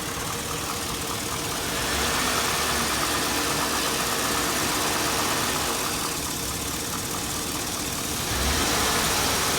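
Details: 2002 Chevy Avalanche 5.3L V8, 214,000 miles, warmed up, idling: loud, fast, even tick or knock on the right side, diesel-like, worsening over the past year; owner compares it to cam phaser tick but the cause is unconfirmed.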